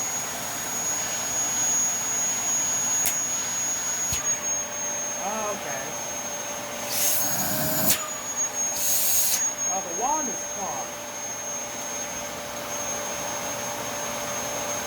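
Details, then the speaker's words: Dyson vacuum with a discoloured HEPA filter needing replacement: steady high motor whine with brief air rushes as the wand moves, suction note stiffening by position; obstruction lodged in the wand. "something stuck in the wall but it's especially stuck in one hand over the other as you can hear it sounds stiffer depending on which which way that i put the line"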